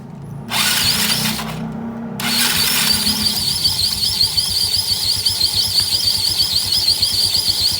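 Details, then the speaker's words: Yamaha Mio scooter with CVT cover removed, engine idling: rapid, high, steady chirp repeating several times a second, clearly from the rear pulley area rather than the front; worn, dry CVT rear pulley bearing. "Sekarang jelas suaranya di belakang. Jelas banget suaranya. Bukan di depan, tapi suaranya ada di area belakang."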